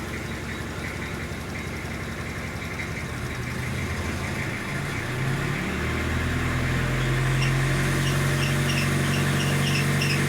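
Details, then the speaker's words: Toyota Hilux diesel at idle with a light, cricket-like chirp repeating about four times a second from the alternator belt starting to sing; corrective and preventive maintenance needed. "do alternador ameaçando cantar tem umas Man tensões aqui corretivas e preventivas a fazer"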